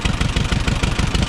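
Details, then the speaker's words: Auction-bought Allis-Chalmers WD-45 gas-engine tractor: steady, even low burble with regular firing pulses and no knocks or misses. Normal idle. "his burbles wave actually runs pretty good you can't hear a whole lot"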